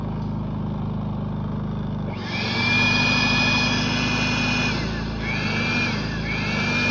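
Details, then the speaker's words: Predator 3500 inverter generator, warmed up after oil, spark plug and air filter service, before eco mode is switched on: steady, even drone with constant high whine, no misses or surging; normal warm running. "now it's warmed up."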